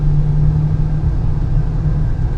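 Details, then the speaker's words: 2015 Honda Pilot road test after wheel bearing replacement, axle nut torqued to 242 lb-ft, around 40–60 mph: smooth even road rumble, the earlier hum is gone; normal wheel bearing. "and now you don't really hear much okay actually you don't hear nothing right now now the noise is not there no more"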